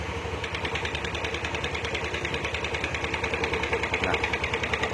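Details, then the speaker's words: Yamaha Aerox 155 with error codes 12 and 46 (charging fault): uneven, crackling idle stuttering about three times a second with the charging relay installed; with the relay removed it idles normally. "nah ketika kita cabut relay pengisian ya Dia normal D Normal langsamnya itu enak ketika kita pasang kita pasang relay pengisian ya"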